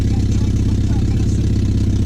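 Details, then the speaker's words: Porsche 944 after exhaust repair, idle: deep, even exhaust pulse droning loudly with raw edge, quieter than before but still loud. "it's better it's still loud but it's better oh yeah she's still loud and better though"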